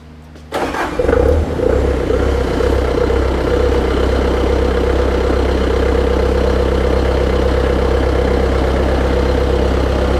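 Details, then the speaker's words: Bobcat 5600 Toolcat with a Kubota diesel, with the jumper wire disconnected: a short crank, then it catches at once and idles steadily with no misses, and it shuts off with the key; it starts and runs normally. "so it is running now we want to do one more test real shut off with the key too and it shut off with the key"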